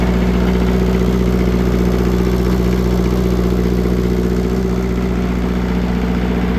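Steady diesel idle with a regular chuffing pulse about three a second, uneven beat from one weak cylinder blowing by.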